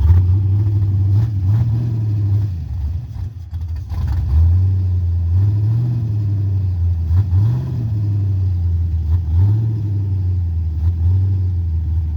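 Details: Carbureted 5.3 LS swap in a Mustang with MSD LS-series ignition: the engine surges and hunts at a high idle, rising and falling every second or two. It starts and dies and idles fast; carburetor, timing or vacuum leak suspected, undetermined.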